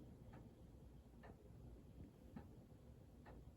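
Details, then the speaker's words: 1927 Junghans German grandfather clock: ticks roughly once a second with alternating long and short gaps, suspected out of beat, possibly from not being level on thick carpet; fix is bending the pendulum rod via the hook. "Okay. I think it's out of beat a little bit."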